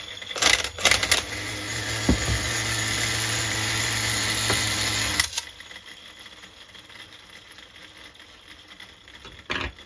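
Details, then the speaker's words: HPI MT2 nitro RC small engine being tuned, running raggedly with a high buzzy, blubbery note, then dropping off; definitely running too rich near the end of the tank. "definitely too rich"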